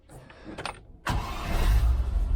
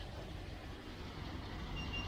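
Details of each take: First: 1971 Range Rover restoration, during misfire diagnosis: the starter catches and the engine settles into a steady, even low idle that sounds better, though cylinder number one is still not firing. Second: 1971 Range Rover Classic V8 at idle: steady stumble with one beat dropping out of the rhythm; number one cylinder dead.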